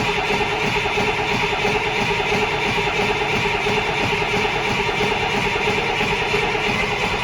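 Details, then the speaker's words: Rebuilt International DT466E diesel, first crank after rebuild with oil system still dry: steady cranking, no firing catching; first start didn't sound right; crank, no start. "that's a first start didn't sound right but i mean like i said everything's dry let's try it again"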